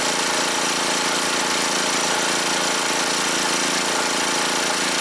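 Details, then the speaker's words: Scrapyard generator with two loads plugged in: engine labours hard with rough uneven knocking over a strained drone; run at or past its capacity. "like she's working pretty hard I guess it's working right at its maximum"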